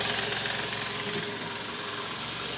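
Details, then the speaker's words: Toyota Camry 2JZ engine at 148,000 km, recorded from underneath near the oil pan at idle: a heavy, steady knock low in the block. The cause is worn and scored balancer shaft bearings, likely from under-torqued balancer bolts. "Hai nah disini terdengar bunyi keras terutama di bagian Karter oli mesin EDC Bank untuk memastikannya kita mau turunin dulu nih balon pesawatnya"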